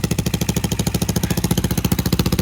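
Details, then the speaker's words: Lifan KP Mini 150 with swapped CG250 167FMM engine, after idle setting: steady single-cylinder putter, about eleven to twelve beats a second, idle rising because tight throttle cable cracks the throttle; cable must be left drooping. "you hear how the idle's coming up so yeah I got to just leave the the cable Dro and however the [ __ ] is going to droop"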